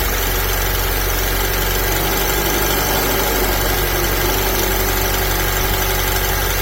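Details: Alfa Romeo 159 JTS petrol engine idling before timing chain replacement: fast, dry metallic rattle; timing chain rattle at idle.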